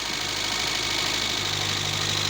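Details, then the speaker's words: Renault 11 Junior 1.4 engine after rebuild, push-started due to starter problems, running from a temporary fuel can: smooth, even idle with a bright, fast mechanical buzz that never stumbles; engine runs healthy. "lo escuchan como suena. Terminar de hacerle algunos retoquecitos, pero bueno, quedó en marcha el 11."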